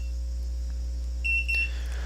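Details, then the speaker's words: HOBO MX1101 data logger, just configured and started via the HOBOmobile app, immediately trips an alarm threshold: a single shrill half-second beep over a low steady hum; audible alarm then cleared through the app. "As you can see, immediately I tripped one of my alarms here, so we can page it so you can hear what it sounds"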